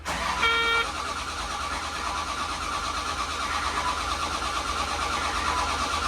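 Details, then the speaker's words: Caterpillar 930G loader diesel starting after a missing engine ground wire was fixed and both ECMs were restored. After a short beep it jumps straight to a loud, steady full-throttle roar because the throttle pedal was hung. "Fire it up, but it sound like it went full throttle. That's not good. Turns out the throttle pedal was hung."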